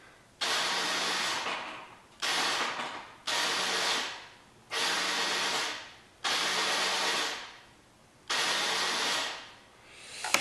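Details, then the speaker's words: 2004 Yamaha Zuma 50 scooter with a no-start, pressing the starter: six high airy whirs of about a second each, no cranking or firing, starter spinning freely without engaging. Starter clutch not engaging, later thought to be due to an improperly assembled conical washer. "Something about that doesn't sound quite right."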